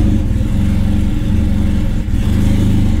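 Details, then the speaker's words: Car that stalls when shifted into gear, engaged in reverse/drive: low, uneven engine rumble with lumpy pulse and a brief stumble near two seconds; misfiring but no longer stalls. "falla, pero no se apaga."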